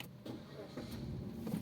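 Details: Suzuki SX4 S-Cross restarted after knock sensor replacement and cleared codes: it catches quickly and settles into a smooth, even run after a short blip, with no knocking or pinging. The check-engine light stays off.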